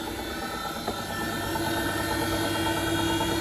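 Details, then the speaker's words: Bosch WFP3300 washing machine, heavy limescale, 90° cotton citric acid wash, back panel off: steady hum with tone climbing as drum speeds up, no knocking or scraping; quiet, normal spin-up. "it's spinning up all right it's quite a silent machine as i raise my voice"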